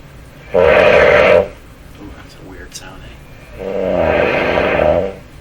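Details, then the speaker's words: Canadian Westinghouse 981 shortwave radio, after replacing the burned capacitor that smoked, at full volume while tuning a strong station near 9.3: two bursts of loud warbling squeal near 550 Hz; receiver oscillation, not fixed by the repair. "oscillation in the radio so it sounds like so again a strong station 9.3 it's actually right off the band here"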